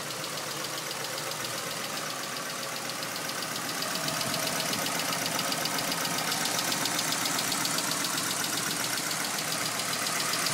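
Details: Nissan Silvia S15 SR20DET at idle: light, fast ticking about four per second over steady idle; cause not identified.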